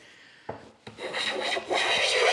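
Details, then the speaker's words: Amazon Basics vs Stanley Handyman hand plane on hard cherry: rough rasping strokes that catch and skip instead of gliding; chatter, suspected poorly supported flexing blade or possibly an unflat sole. "i suspect the blade is just simply not well supported and it's it's it's flexing it digs in bounces out digs in bounces out"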